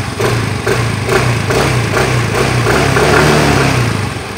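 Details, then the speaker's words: Yamaha Mio i 125 (M3) after rocker arm replacement, valve clearance set differently from spec, test 3: revs smoothly, even clean exhaust note, no ticking or head rattle; valve train healthy. "Wala na si Kalansing. Test number 3. Sobra tahimik na ngayon ang andar. Stock na stock."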